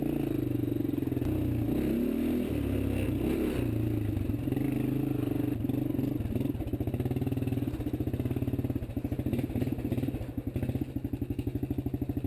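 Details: 1993 Suzuki Quad Runner 230 after replacing wrong aftermarket bolt and loose front motor mount, fixing bracket and fitting sprocket guard; single thumps in quick, even pulses with no rattle or shake, vibration gone. Normal running.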